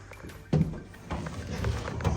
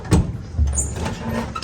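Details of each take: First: Vintage Willys Jeep CJ5 after replacing the old starter (stripped bendix gear) with an upgraded Toyota Land Cruiser starter: fast, smooth, even cranking with no dragging, engine catches cleanly and revs up; normal cranking and start, healthy new starter. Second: Vintage Willys Jeep CJ5 on the original starter, whose bendix gear turned out stripped: short harsh grind and clatter as the starter spins without meshing the flywheel, no catch; repeated bumping eventually starts it; bendix not engaging flywheel.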